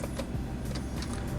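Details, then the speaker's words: Iveco Daily Hi-Matic, 3.0 F1C diesel, 210 hp, 8-speed automatic: power mirror motor whirs with ticks and rattly bursts, buzzing once the mirror is raised past a certain point; cause not confirmed. "aynayı bir yere kadar yukarı alıyorsun Ondan sonra cırlıyor"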